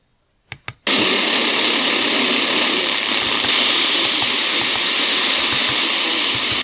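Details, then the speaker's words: Prunus J-168 portable radio browsing shortwave: loud constant hiss, faint whine and ticks smother weak station WRMI Okeechobee, Florida; RFI is from the radio itself, not the house. "Yeah, that RFI is definitely from the radio. It's not from anything in my house."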